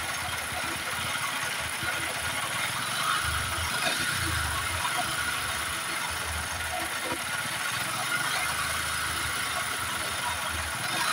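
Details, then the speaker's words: Honda Supra X 125 engine at idle with a dense metallic clatter over a steady idle, harsh throughout; rough mechanical noise before a full engine teardown, cause not yet found. "Oke, jadi suaranya seperti itu, sangat kasar."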